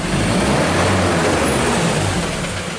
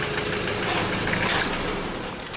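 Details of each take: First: 2015 Mazda BT50 2.2 L diesel pickup, 256,000 km, revved after warm-up: rough rattly fuel knock over diesel roar with heavy black smoke, attributed to filthy injectors; complaint of loud knock, hard start, power loss, P0341 and P0671-P0674 codes. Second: 2015 Mazda BT50 2.2 L diesel, 256,000 km, catches quickly and settles into an even clatter without long cranking; it starts easily.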